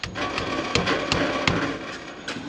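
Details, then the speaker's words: Exhaust tapped after hose-clamp repair of front shield: sharp tinny buzzing rattle ringing briefly from rear muffler heat shield with rotted mounting points; customer reports intermittent rattle; rear shield to be replaced with new hardware. "worked here but as you can still hear the rear needs a fixing so let's go to the rear"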